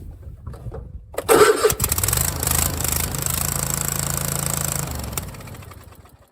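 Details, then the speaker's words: Troy-Bilt XP Mustang zero-turn mower with 50-inch deck, right after a choke cable adjustment: it runs about three seconds with an uneven snap and pop before stopping; spark plugs suspected, so both will be changed. "I do notice that this machine does have a little bit of a snap and pop to it when it runs. So I'm going to change both these plugs while I'm here."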